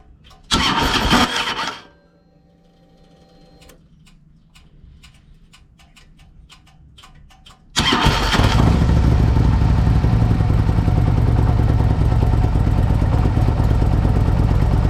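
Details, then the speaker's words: 2007 Harley-Davidson Ultra Classic V-twin, warm, after Screamin' Eagle compensator upgrade: short rough burst, then slow clicking for seconds before catching; hard warm start persists, starter now suspected. "someone commented today on the last week's thing they said it sounds like your starter because that's a lot even warmer and it's doing it compensator's fix there"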